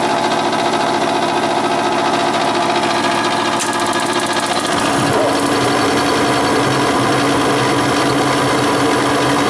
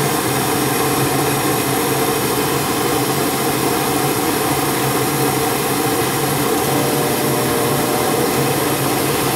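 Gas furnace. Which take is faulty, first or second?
first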